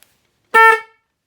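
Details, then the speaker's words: Car/Jeep horn newly installed on a 2009 Trice QNT recumbent trike, momentary switch, after reseating a knocked connector: one loud clear blast about a third of a second, strong steady tone; car horn working. "You can hear that is loud. So there you go, car horn installed on a 2009 Trice QNT, and I think that one should have no problems waking anyone up who steps in front of you."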